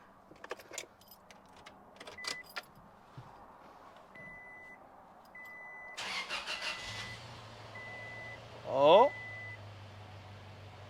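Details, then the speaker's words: 2006 Toyota Tacoma 2TR, said to need an engine rebuild, first start after reassembly with fresh oil and coolant: clicks and a warning chime, then it catches and settles into a steady, even low idle; the oil pressure light goes off quickly. A healthy start. "pressure lights already off look at that sounds decent it's got coolant"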